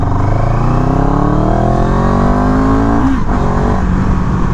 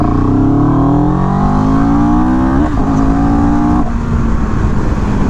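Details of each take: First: CFMOTO 700CL-X in second gear from about 10, throttle opened in Eco mode. The engine pulls lazily at first before revs build, a brief lag the rider attributes to the Eco map; throttle lag in eco mode. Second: CFMOTO 700CL-X motorcycle, pulling from 10 in second gear in Eco then Sport mode: clean rising engine note climbing smoothly under strong pull, then falling away evenly, no misfire or rattle; Eco shows slight lag, healthy engine.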